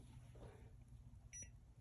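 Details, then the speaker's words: HVAC heat strip sequencer tested with a meter, zero ohms: short high continuity beep, top contact stuck closed, explaining the heater won't stop heating; wiring melted and burned. "okay interesting interesting because this top part is stuck and the bottom part's not interesting so that's why i guess one of the heat strips was work"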